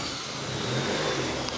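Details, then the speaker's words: Honda Civic D16 with new turbo kit, first start: crisp, even revving with steady exhaust note and no misfire or stumble; no leaks, running healthy. "sounds good all right it's going really well no leaks"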